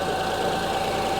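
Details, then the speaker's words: 2005 Honda Odyssey with misfire codes and severe shaking, idling while checking coil secondary waveforms: steady idle with uneven shaky beat; misfire traced to cylinder 3, whose coil waveform differs from others. "so as you can hear the engine is running the engine is shaking I don't know if the camera is picking this up"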